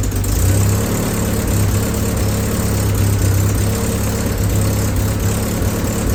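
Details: Willys M38A1 jeep after tune-up for a small miss (new distributor cap, rotor, condenser, points adjusted): low, even four-cylinder rumble holding a steady idle without stumbles or misses; engine sounds smooth and healthy.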